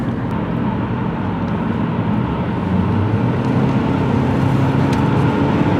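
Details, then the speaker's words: 2007 Saab 9-3 2.0L turbo, full throttle under boost on highway test drive: engine roar stumbles with an uneven, lumpy beat; Tech 2 shows cylinder 2 misfiring badly with flashing check engine light. "Now, it's misfiring badly. So, as you see cylinder cylinder number two is misfiring very badly. The check engine light is flashing."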